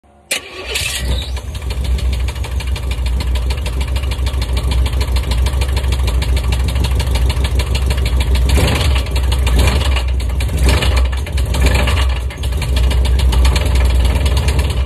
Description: I disconnected the stall converter to see if the sound continued and it did. Cracked flexplate or spun bearing?